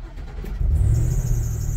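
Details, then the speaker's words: Ford E-series van (E150/250/350) after fuel pump and level sensor replacement, low fuel in tank: short crank, catches within a second and settles to a smooth, even idle; clean start, fuel-sensor code cleared. "Brand new pump, start right up."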